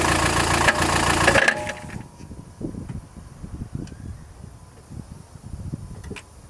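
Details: Chrysler Grand Voyager 2.8 CRD diesel starting then idling with an uneven clattering rattle, three or four bursts a second; not accessory belt, power steering or balance shaft; found to be a badly cracked flexplate between crank and torque converter.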